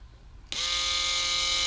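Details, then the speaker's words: Toyota Corolla EVAP leak detection vane pump, electric-motor driven, bench-powered after reassembly: motor kicks on instantly into steady high buzzing whir with even pitch, no stutter; pump fully functioning. "are you kidding me this is fully functioning vein pump which is ran by electric motor"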